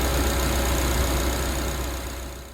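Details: Suzuki Jimny, previously idling high, tested after the throttle body idle control valve was fixed: steady, even low idle drone with revs easing down and no hunting; idle settling where it should.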